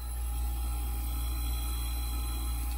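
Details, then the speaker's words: 1980s Super dehumidifier with Samsung 1/6HP reciprocating R-12 compressor, 120VAC, tested before restoration with its dead fan disconnected and a box fan used instead: steady, very quiet low hum, no knocks or rattles; compressor running normally. "so here is the compressor on it's super quiet all right so"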